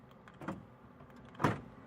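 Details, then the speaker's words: 2004 Honda Odyssey EX, remote lock test after replacing the intermittently failing right front door lock actuator with a $10 aftermarket part: two crisp clicks, driver door then sliding door, both actuators working properly. "I'm gonna lock it cool okay unlock it the first click gonna be to drive a door as you can hear it and then the second click is the patio door there you go okay"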